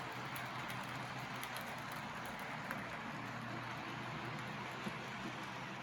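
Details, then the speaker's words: Custom Tyco Chattanooga model locomotive with scratch-built tender drive (cordless motor, flywheels, Athearn gears, brass chassis), running in reverse after tune-up for slow running; soft, even whirring hum, no catches or rattles; normal running. "it's running just as well in reverse so there it is my custom taiko chattanooga all tuned up and ready to run again"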